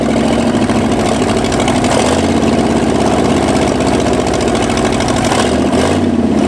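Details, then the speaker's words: 1965 Ford F250 revived after 26 years abandoned: it stumbles and hunts, speed wandering as the throttle is worked, barely holding idle; rough running later traced to ignition timing. "and it just does not want to run unless I'm pumping that or way up in the rpm"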